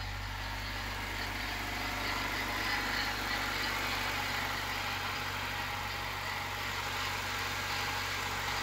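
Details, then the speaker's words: Honda Civic EK hatchback petrol engine at idle just after head rebuild with replaced intake valves and valve adjustment: smooth, even low hum with a light hiss; sounds normal, strong and quiet. "Sounds really good. Sounds stronger this time. Nice and quiet."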